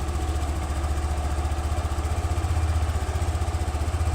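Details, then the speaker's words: Scooter that was hard to start, after fitting a new spark plug: catches on the first press and settles into a steady, even idle putter at about four beats a second; normal idle. "นะครับเช็คเดียวติดเลยนะผมหัวเทียนใหม่นะผม"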